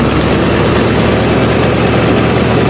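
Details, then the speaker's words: Old V8 Buick after new distributor cap, rotor and plug wires: steady, even low rumble at slightly raised revs with no misses or stumbles; smooths out when revved, running normally. "So this is how it would always run. It's running great now. Just needed a pacemaker."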